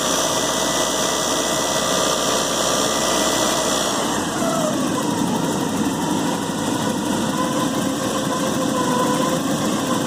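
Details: 1986 Porsche 944 NA petrol engine idling with a busy, dense metallic rattle over the running sound.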